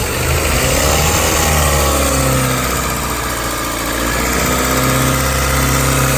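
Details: 2001–2005 Honda Civic LX, strange engine noise when accelerating: uneven ticking rattle about four times a second over idle and revs, from a worn-out timing belt tensioner.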